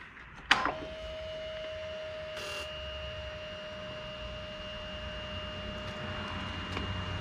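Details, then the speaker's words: Cub Cadet 3X MAX 34-inch 420cc fuel-injected three-stage snow blower, key turned on, green light: after the key click a faint steady hum runs several seconds then stops; automatic fuel pump priming, normal EFI priming. "Okay, we got a green light. I can hear it. It stopped."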